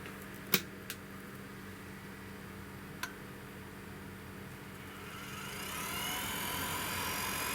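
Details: Espar D30W diesel boiler on a trawler yacht, after fuel pump rebuild and priming and a lockout reset: low hum and a couple of relay clicks, then a fan whoosh builds after five seconds as the burner starts its cycle normally.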